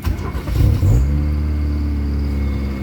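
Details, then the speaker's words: Old Kia Pride with low power and engine vibration, just cold-started: fires and settles straight into a steady, fast idle around 2000 rpm, which normally drops to about 1000 rpm after a few minutes. High cold-start idle. "so pag ini-start mo yung RPM tumataas saa ng 2000 and then afterwards mga ilang ah minuto babagsak din yan ng 1,000 RPM"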